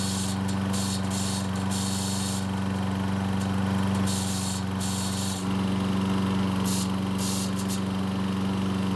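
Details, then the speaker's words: Troy-Bilt mower after fixing gasoline and oil leaks, started with one pull: a fast metallic ticking, about four a second, rides on the running engine as the starter pawls strike the flywheel posts. "as you can hear the starter poles are making contact with the flywheel posts which sounds terrible"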